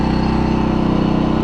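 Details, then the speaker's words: MXR4000GT 4000 W inverter generator on gasoline, first start, no load, low on fuel: smooth, even, quiet idle with steady pulses, no misses or knocks; normal idle. "and we know it it runs it sounds good it doesn't sound that loud at all"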